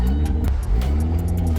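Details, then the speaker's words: Built forged-internals turbo Miata, first run back: loud, raw, deep exhaust rumble with sharp popping puffs; exhaust leak from a test pipe left disconnected and a blown-off joint. "oh yep look at my test pipe that is not connected to anything"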